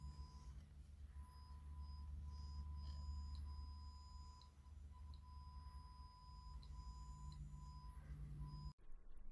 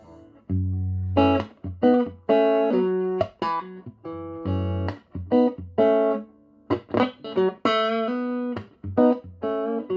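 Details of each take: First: Strauss SRT-15 15 W guitar amp driving a 100 W 8 ohm load resistor with a kilohertz test tone: the tone cuts in and out with ticks and surging volume over low hum; suspected faulty, red-plating power tube. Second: Strauss SRT-15 guitar amp after repair with new tubes and bias checked, previously crackling and ticking from a faulty tube: clean, sustained guitar notes and chords with crisp attacks, no crackle, pops or ticking; normal output.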